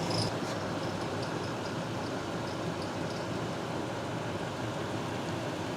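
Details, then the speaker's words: Lexus GX460 V8 at 142,000 miles, Bando serpentine belt with about 30,000 miles; squeaking at idle stops once lubricant is sprayed on the belt, confirming the belt rather than a pulley; serpentine belt squeak. "There's my belt, as you guys can see, and it's squeaking there, right? So if I spray the lubricant onto the belt, you're gonna hear it just stop squeaking."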